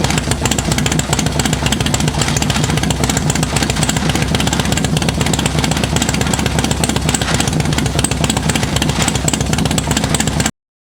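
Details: Rubber-mount Sportster chopper with 1250 build, heat cycle during break-in, accidentally left in fifth gear: loud choppy V-twin bark holding fairly steady revs about ten seconds, no knocking or rattling; fresh top end runs fine.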